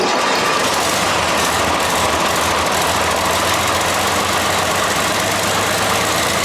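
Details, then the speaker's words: Basket-case 6.4 HEMI with a spun bearing, running on an engine stand, possible bad injector: loud harsh steady idle with busy metallic clatter; rattle at idle, cause unconfirmed. "DON'T WORRY ABOUT ALL THAT. OH, IT'S ALL that rattling. It runs."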